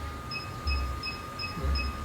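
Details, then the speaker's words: 2019 analog Atmega 2-in-1 hot air blower and soldering station. The potentiometer is turned quickly to the 2–3 o'clock position, and the buzzer beeps short and high about twice a second over a faint hum while it heats to the set temperature. "Sekali lagi saya naikkan di arah jam 2 atau jam 3 ya, nanti bisa dengar suara buzzernya."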